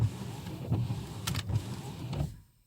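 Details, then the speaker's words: 2008 Mercedes-Benz S550, about 200,000 miles, after fitting new Bosch wiper blades on a wet windshield: soft even swish with a low motor hum, no scraping or chatter. Normal sweep; the old blades had scraped. "now we know when I turn it they will move oh yeah and that's quiet and that's without the water"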